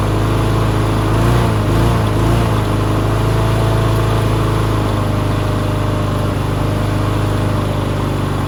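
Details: Push mower that sat six years with water in the engine, running on bad oil: small single-cylinder engine swells in speed early, then settles to a steadier run; loose throttle causes surging.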